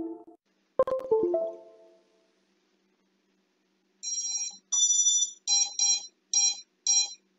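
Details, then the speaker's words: INAV drone after switching the ESC protocol to DShot: short startup tune, then sharp high beeps repeating about twice a second without stopping while disarmed; ESC constant beeping, not heard with Multishot or Oneshot. "yeah so the beeping starts again and let me just wait this couple of seconds for the GPS to come up otherwise the Drone won't be armed"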